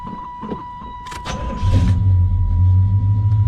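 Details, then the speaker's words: Carbureted engine after a ported phenolic carburetor spacer install and fuel regulator mounting, started to check for leaks after fuel had drained: a few cranking clicks, then it catches quickly into a steady, even low rumble. Normal start. "Wow. Starts right up."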